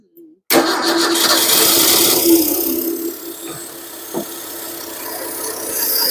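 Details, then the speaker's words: 1953 Ford 4x4 old engine, cold start at about 38 °F, gasoline gravity-fed to the pump and no radiator fitted: cranks a while until fuel arrives, then catches and settles into a steady, even idle; normal start and idle. "this one has got this one runs good there's no problem there"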